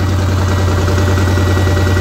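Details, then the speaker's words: Honda NT700 motorcycle after repair of a coolant leak at the water pump housing and crossover tube, warm idle up to temperature with the fan whirring: smooth, steady low hum, no misses or knocks; healthy. "i don't know if you can hear that but we've just got up to temperature and the fans"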